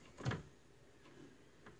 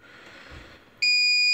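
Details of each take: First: APC XS 1300 desktop UPS reassembled with the temperature sensor reconnected and the front bezel off. Clicks, then the fan spins up into a steady even hiss with no beeping: running normally on mains with no error, estimated runtime 14 minutes. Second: APC XS 1300 UPS with new replacement battery tested at full 24 V, about 60 W load: on mains cut a shrill half-second beep as fans spin down; it fails to hold load on battery, cause not yet found.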